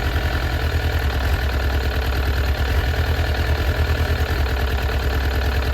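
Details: Suzuki Katana GSX-F 600 running with the choke fully on, as it won't run without it. Lumpy, uneven idle at about three pulses a second. Unplugging cylinder 4 made no change, suggesting cylinder 4 is dead.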